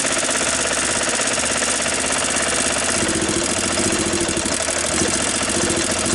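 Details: 1993 Club Car Precedent golf cart single-cylinder engine, after sitting over 6 months and no-start, running again after plug and carburetor cleaning and battery charge: steady, even idle with busy rattly exhaust beat, no misses.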